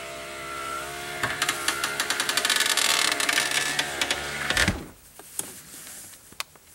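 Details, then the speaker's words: 2005 Chrysler Town & Country front driver's side window, noisy going down and slow: motor whines about three seconds with rough clicking about four times a second, then stops; regulator and motor both being replaced. "today we're going to replace the front driver's side window regulator and motor the problem I'm having is it's noisy going down and slow going"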